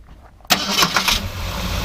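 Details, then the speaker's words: 1966 Ford Galaxie 7 litre 428 Q Code V8 with aluminum radiator and aftermarket fan: short crank, catches at once, starts really nice and settles into a steady, even, smooth idle. "It actually starts really nice. Overall runs really smooth."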